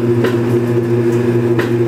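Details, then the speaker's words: Kenmore Series 80 belt-driven washing machine from about 1987, control magnet (wig-wag) replaced months ago: steady motor hum on spin with a dull thump roughly every second and a half; periodic knock plus water leak, cause unknown. "series 80 washing machine and the washing machine has a problem when it's on the spin cycle there's a knocking noise and it occurs every couple seconds"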